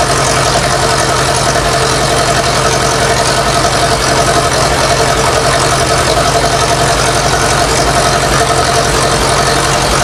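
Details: Massey Ferguson 165 tractor (1960s) running again after the carburetor was put back on: steady, even rumble with a quick regular firing beat, no knocks, misses or surging; normal smooth idle.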